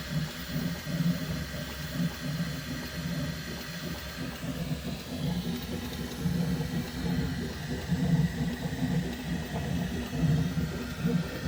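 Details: Bambu Lab X1 Carbon 3D printer makes a strange noise during the first layer every time the bed moves up and down for Z-hop: low hum with repeated pulses and a brief rising-falling motor tone.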